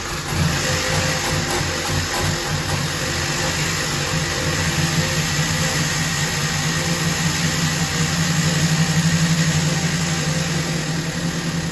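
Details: Ex-police 1992 Chevrolet Camaro B4C 1LE V8, not run under own power in 10 years, after fuel injector refit: steady even idle with firm low rumble, no misses or knocks; running cleanly.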